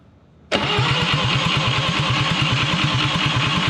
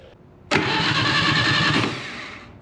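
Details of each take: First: Atomic 4 ex-sailboat engine, points cleaned, spark at coil but none out of distributor cap, distributor loose: steady cranking about three beats a second, never catches; owner suspects timing far off, unconfirmed. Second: Atomic 4 ex-sailboat engine, light oil squirted into cylinders, 12-volt battery with remote start button, no coil fitted yet: strong, steady starter cranking with an even churning rhythm for about two seconds, no firing; turns over freely, normal cranking.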